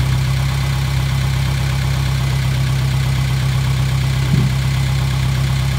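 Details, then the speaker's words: Gehl 3510 skid steer engine, started with no choke after a new throttle cable was fitted and the fuel pump was primed. It took right off and settles into a steady, even low idle with no knocks or stumbles. Normal idle. "That thing, no choke or nothing. It just took right off. Burn like a kitten."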